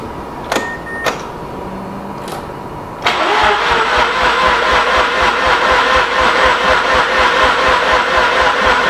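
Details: Mazda RX8 13B rotary after injector cleaning and replacement fuel pump: light clicking then steady cranking about four beats a second that never catches; no fuel pressure because replacement pump pins wired backwards.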